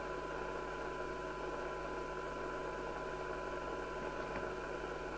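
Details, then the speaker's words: Midland 77-095 UK FM CB radio on test set after RF transistor (2SC2075) replacement: steady hiss with low hum, no clean signal, too noisy to reach 20 dB SINAD; a 470uF 16V capacitor found open circuit. "there's no circumstances at which the set will do 20 it's that noisy"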